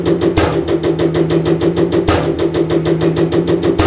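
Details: Common rail injector on a calibration bench running over 500 shots, from an engine with a turbo failure that burned oil: crisp, evenly spaced ticks about three a second over a steady hum; injector working correctly.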